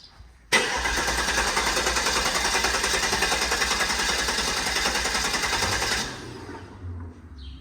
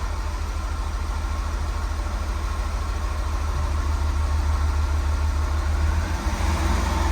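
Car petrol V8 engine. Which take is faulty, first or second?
first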